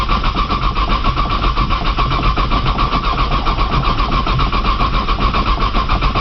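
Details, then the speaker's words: 1995 Nissan Maxima, 210,000 miles, push-button start, in snow and cold, new battery; starter churns steadily on and on, never catching; owner suspects a bad sensor and suggests priming with fuel; long crank, no start. "again man she does not want to crank today it's a good did for y'all I don't think she going to crank"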